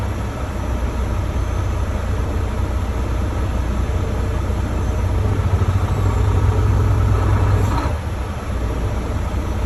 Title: Volvo D13 Rough Idle